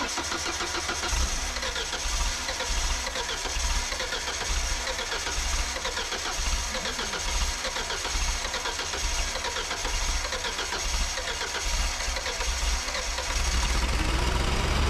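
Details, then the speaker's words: Ford LRG-425 engine on a JLG 80HX boom lift, cold start after sitting overnight on the new manual choke at full: about thirteen seconds of cranking without catching, firing only once the choke is opened a little; over-choked and needing more air. "it took a lot of cranking but it didn't actually start until I opened it a little bit so that might just be a matter of finding out what the engine needs it needed more air than I was giving it at first"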